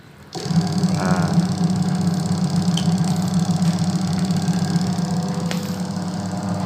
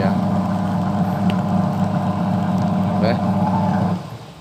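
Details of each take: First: Single-tub automatic washing machine converted to manual control, tested on spin/dry: motor holds a steady low hum with light rhythmic chatter and no rising spin; the pulsator turns instead because the control is miswired. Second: Sharp single-tub automatic washing machine converted to manual timer, wash test after conversion: even motor hum, steady low drone alternating back and forth, winding down near the end; normal wash agitation.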